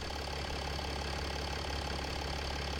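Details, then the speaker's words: 2007 Mercedes-Benz E280 CDI W211 diesel, at idle: steady, even low diesel rumble with no knocks or misses, running smooth and very quiet. "It's working nice and smooth, very quiet."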